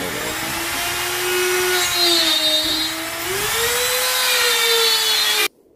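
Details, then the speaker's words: Grizzly T27139 quarter-inch laminate trim router with plunge base, about 4 months old, cutting a circle: steady high whine sagging with load, then abrupt cut to silence; switch and speed control did nothing; intermittent motor cut-out, warranty issue, cause unknown. "so as you see the machine just shut off i flipped the switch on and off a couple times nothing i tried to speed control nothing"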